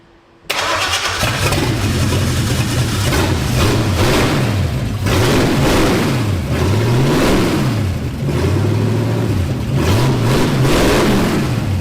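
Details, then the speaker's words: Ford F100 turbocharged 360 FE V8 during cam break-in, after correcting spark plug wires to the right firing order for a counterclockwise distributor: cranks and catches straight away, revs and settles repeatedly, pulling cleanly with no misses; running properly. "After redoing our spark plug wires to the correct firing order, uh let's give this a try again."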